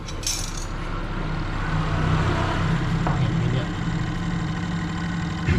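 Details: Twin-tub 8.5 kg washing machine: spin motor hums steadily at normal speed with a few light clatters, but the spin tub does not turn; drive fault not yet identified.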